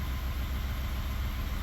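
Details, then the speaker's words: 2019 Ford F150 3.5 L V6 with code P0304: rough, lumpy, stumbling idle from cylinder 4 misfire on port injection only, smoothing on direct injection only; new coil and plug didn't fix it, port injector faulty. "So that tells us definitively that we've got something going on with the port fuel injectors, and specifically on number 4 cylinder, since that's where the misfire is at."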